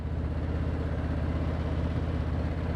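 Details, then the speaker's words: 2019 Harley-Davidson Street Glide Special after its 20,000-mile service with new wheel bearings and tires, riding at about 40 mph: steady even V-twin and road rumble, and the previously heard whine is gone. "there's no whine. Even at 40 miles an hour, I could hear the whine before. So I'm so happy that there's no more whine."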